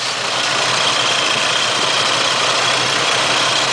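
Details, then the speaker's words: 4.3 L TBI V6 in donor plow truck, destined for an '81 1-ton: smooth, even idle with steady hum, no misses, knocks or ticks; normal idle. "Purring like a kitten."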